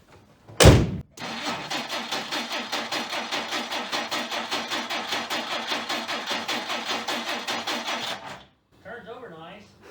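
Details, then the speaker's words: 1959 Plymouth Suburban wagon, long-stored barn find, on its second start attempt: steady starter cranking about five pulses a second for seven seconds, catching only briefly before dying. The points were dressed but apparently need further dressing. "nine more payments and this baby's on apparently the points need further dressing"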